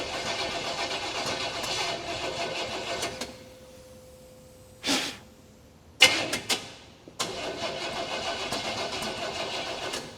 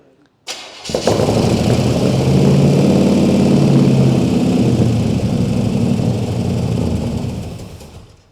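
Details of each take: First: 1951 Chevy 3100 farm truck with crate 350 swap: long cranking then sharp pops and a brief stumbling catch before cranking resumes; backfiring through the carburetor because ignition timing is off. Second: Freshly swapped crate 350 V8 in a 1951 Chevy 3100 farm truck fires on the starter into a loud, even open-exhaust lope with steady beat, no misses or knocks; runs healthy.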